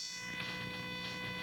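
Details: Steady buzzing hum with thin high whistles through a Rockville vacuum tube amplifier speaker, appearing when the PC video card is used; video card noise on motherboard power/ground plane, gone when audio out was unplugged.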